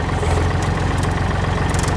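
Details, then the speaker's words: Used 2009 Kubota L3408Di tractor diesel idling after key start; steady, even deep chug with no misses or knocks, engine tight, no white smoke; dealer-reconditioned, engine and transmission described as excellent. "สวิทช์กุญแจสตาร์ทครึ่งเครื่องแน่นมากนะครับไม่มีควันขาวนะครับ"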